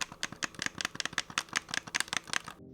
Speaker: The bumpers are probably the best part about this controller, despite still being pretty bad. Like, they are clicky, but small and squeaky as hell.